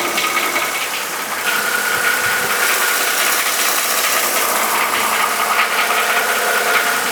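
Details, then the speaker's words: Mercedes M272 V6 at warm idle, before an oil change to thicker 5W-50 LiquiMoly Molygen: a light, fairly regular tick-knock of about two to three beats a second. This is the notorious M272 idle knock, cause unconfirmed. "So hopefully during that you could hear that knocking noise that I'm talking about."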